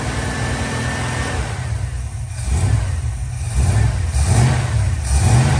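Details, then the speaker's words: 1969 Dodge Dart V8, cold start on the choke after a new distributor was fitted: catches and revs up several times smoothly without miss or stumble; runs and drives fine, though a burnt valve or two is suspected. "well it's running and driving it around a little bit everything seems to be working fine"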